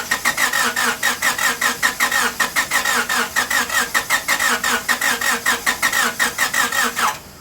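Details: 1998 Honda Civic with a long-sitting replacement engine swapped in after a rod bearing failure: quick, even cranking of about five beats a second with a chirpy squeal, which the owner blames on sitting, then it catches; normal start.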